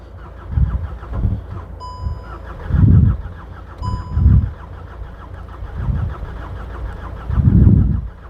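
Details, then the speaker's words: VW Golf GTI Mk6 with suspected bad engine, jump-started from a running van on a weak battery: repeated cranking bursts that catch briefly and die, door chime between tries; fails to start, red oil pressure light on, cause unconfirmed. "Should have started by now, but h bit bit weird."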